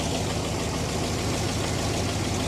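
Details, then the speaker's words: Wrecked LS V8 SUV idling steadily after long sitting, noisy on startup, with a faint fast ticking from a small exhaust leak; radiator destroyed in crash so run only briefly, engine otherwise sound. "This one it made a little is making a little bit of noise just on startup, which some of these LS do when you just let them sit around forever in a day, but she's running pretty good. a little bit of an exhaust leak as a lot of these do have, especially when they're wrecked."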